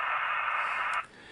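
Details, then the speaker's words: Racal Jaguar-U (BCC-72) military UHF aircraft transceiver, 1993 new old stock, on a dummy load, at 250 MHz default after self-test: loud rushing hiss for about a second, then a clean cutoff as the squelch closes; normal squelch test. "You could hear the squelch come out. There is a squelch test which will make sure that it actually works."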